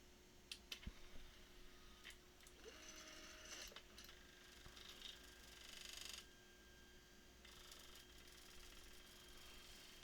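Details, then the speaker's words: Freshly built Anet A8 3D printer, stepper motors whining through home-all, with clicks and creaks as the Z axis binds unevenly; the left support rod hole in the base plate was misaligned, fixed by letting the rod sit unforced. "holy crap something's still wrong something's very wrong they're all uneven everything's really messed up right now"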